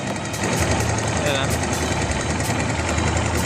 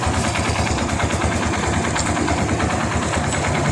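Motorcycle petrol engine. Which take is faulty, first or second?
first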